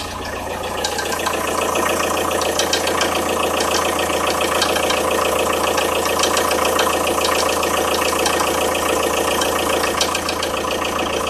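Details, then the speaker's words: Audi A6 C4 1.9 TDI diesel idling cold at 0–5 °C, uneven knock roughly three to four hits a second over the clatter, heard near the timing belt; tensioner rollers fine, knock fades as engine warms, cause unknown. "Непонятный звук мотора, неравномерное постукивание. Слышно в районе ГРМ."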